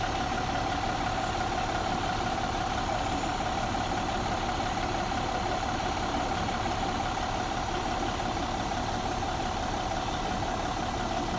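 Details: 2014 MCI J4500 coach with a fresh engine (listed as Cummins, also called Volvo), with an Allison B500/ZF transmission, idling on a hot day: steady, even diesel idle with a constant low drone and faint fixed tone, no knock or misfire; healthy.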